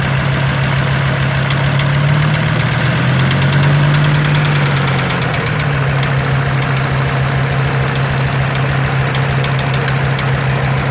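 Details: Audi 100 C3 2.0 TD diesel, engine code DE: a heavy, rhythmic knock of about two or three beats a second over a low idle drone; engine knock, cause unknown.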